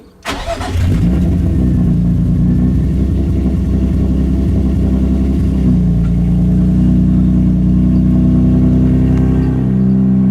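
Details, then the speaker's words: Infiniti G35 V6, just after replacing spark plugs: cranks and catches quickly, a blip of revs, then a smooth, even idle with no knock or miss and no blow-by; healthy. "so it looks like it runs pretty smooth doesn't like to have a blow-by or anything like that they did crazy so it sounds pretty even"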